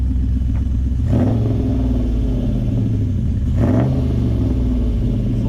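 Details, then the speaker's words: Toyota 1UZ-FE V8 in a Triumph TR7 racecar, checked on the trailer for low oil pressure: deep, smooth burble with two clean throttle blips, revs settle evenly; engine sounds healthy. "it sounds good"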